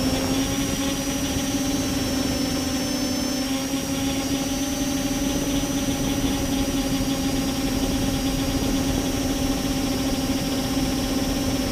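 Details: Multirotor with camera tilted 15° down causing bad vibrations: steady droning whine with a thin high tone above, rough and buzzy; owner suspects ESC or motor bearings, unconfirmed.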